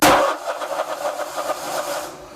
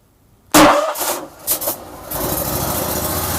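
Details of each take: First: Briggs & Stratton Vanguard 35 hp road cutter left unused long, battery jumped: starter spins with even pulses that fade and never fire; carburetor fuel solenoid not clicking, stuck, so no fuel supply. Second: Vanguard 35 hp road cutter, fuel fed manually, fuel solenoid valve not clicking: a few sharp cranking thumps, then it catches and settles into a steady, even idle with no misses.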